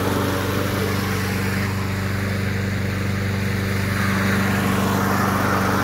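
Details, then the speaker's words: Briggs & Stratton lawn mower engine revived with a new spark plug and carburetor spray cleaning, air filter worn and wet: small single-cylinder runs steady and even at constant speed, no misses or knocks; running very well. "The motor is working very well, so the next project will be a go-kart."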